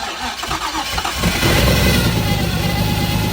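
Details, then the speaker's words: Nissan Skyline R33 RB25DET after an engine rebuild, first start with coil packs connected, thermostat housing not yet fitted properly. Brief cranking, then it catches and settles into a fairly steady idle with an even low drone; normal start. "Yeah, boy! We have a running Skyline! Don't rev it."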